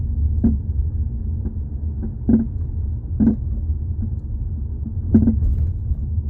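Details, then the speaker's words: 2018 Jeep Compass driven over bumps with the mic underneath near the floor; low hollow clunks in irregular bursts over road rumble. The cause is the front sway bar links (plastic with metal joints), which were replaced. "Most likely to me, it's usually the sway bar links. That's what makes that noise when you're on the ground. I don't think it's a ball joint or anything like that, but let's go check it out."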